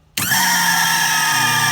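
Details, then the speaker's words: Lippert six-point hydraulic level-up system pump running on the extend side with over 12 volts present, but the Hydac valve not open: steady strained whine over a deep hum. The pump is dead-heading with no fluid flow, and the over-pressure switch would eventually open. "you notice the pump sounded a little strange when it was running well it's running but this high deck valve was not open and so therefore no hydraulic fluid can flow"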